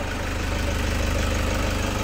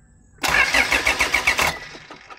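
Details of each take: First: 2008 Toyota Fortuner diesel, after the suction control valve fault was fixed to cure the crank-no-start. Steady, even idle with a smooth low throb and no misses or knocks; normal. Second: 2008 Toyota Fortuner, shop blamed pressure pump; no fuel from pump, actually thin, pinched suction control valve O-rings: starter cranks in quick even pulses about four a second, stops without catching; crank no start.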